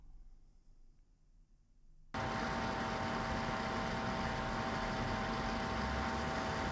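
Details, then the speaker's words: Gigabyte RTX 3080 Gaming OC 10G graphics card under heavy load: loud fan rush with a steady high-pitched coil whine held on top. "second all right so as you can see the coil line problem is pretty common it also happens on this card"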